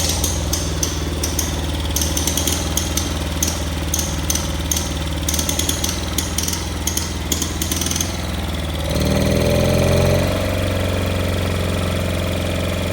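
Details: Cub Cadet Cyclops garden tractor with Kohler 18 twin, cold start after oil change to 10W40, said to be a smoking motor: loud, choppy, uneven idle with a brief rev rise near the end; owner first suspects muffler, misfiring cylinder, coil or plug, later finds a blown head gasket.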